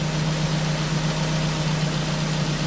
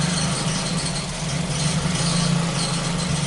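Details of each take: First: Ford Focus four-cylinder after fixing a rich misfire condition (faulty leaking sensor replaced, oil and plugs changed): smooth, even idle with no stumbles, fuel trim improved to about 14; misfire gone, normal idle. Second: Ford Focus petrol engine idling after a faulty intake-connected sensor was replaced: a low hum that dips and stumbles now and then, an intermittent misfire less frequent than before but still there, with a second problem suspected.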